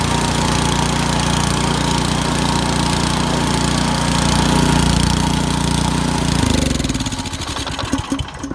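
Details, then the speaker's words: Powersmart 24-inch snow blower that surged after sitting with old gas, running after the carburetor jet and air bleed were cleaned, choke off: a steady, even small-engine note with no surging. "There we go, choke all the way off. It's no longer surging."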